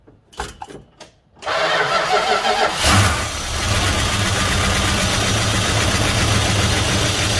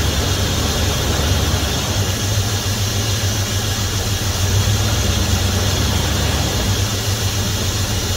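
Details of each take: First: 1971 Dodge Coronet police car, 4-barrel 383 big block with new plugs, wires and oil, first start since the early 1990s on fuel poured into the carburetor: a few cranking bursts, then it catches into a rough, steady idle; it runs. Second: 1971 Dodge Coronet police car, 4-barrel 383 big-block V8, after sitting since the early 1990s, new plugs, wires and oil, wheels chocked: smooth, even idle, deep rumble, no knocks or ticks; 60+ psi oil pressure, owner calls it a healthy motor. Normal idle.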